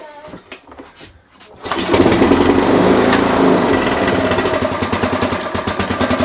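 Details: Sovereign pull-start lawnmower after blowing gunk from the engine with compressed air: catches after a couple of pulls, runs evenly but lazily and never reaches full revs; cause not yet found.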